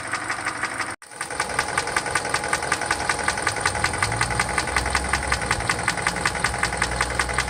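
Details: 2013 Hyundai Elantra GT GLS, 1.8 Nu engine, bought new 2012; started ticking January 2018 at 120,000 km, now knocking despite oil changes; sharp even tick about 107 per minute over idle, owner blames known Nu engine design defect.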